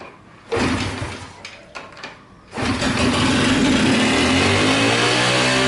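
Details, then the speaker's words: Honda SS50 after engine reassembly, kick-started with the choke: brief cranking, then the engine catches and screams at a high, steady wide-open rev instead of settling to idle when the choke is returned. "Đột ngột, xả hết ga! (CƯỜI)"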